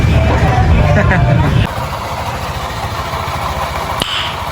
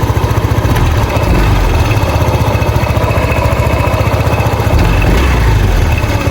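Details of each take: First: Honda PCX 150 scooter after CVT repair (worn, slipping drive belt addressed; new pulley and 1,200 RPM clutch spring fitted): revs then drops to a steady idle, drive smooth with no belt slap or rattle; normal CVT running. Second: Honda PCX 150 scooter in the shop with an unpleasant CVT noise: a steady, loud idle with an uneven flapping rumble underneath, the drive belt slipping on a worn pulley set.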